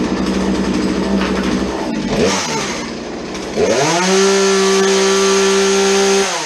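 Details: Chainsaw that would not idle, after dumping old fuel and refitting a modified air filter: rough, uneven bursts at first, then a clean, steady high-pitched run that holds speed; saw sounds healthy now. Normal running.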